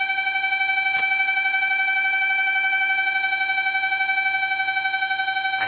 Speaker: Esse barulho surreal tá vindo aqui, ó, desse ventiladorzinho, ó.